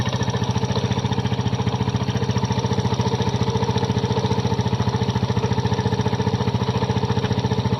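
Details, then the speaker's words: Kymco Visar 110 scooter idling steady and even after rebuild with a new crankshaft assembly and connecting rod; the previous connecting rod knock is gone. "Nawala na ang tunog ng kanyang makina. Natunog ka lang pag connecting rod dahil napalitan natin siya ng bagong crank shop assembly."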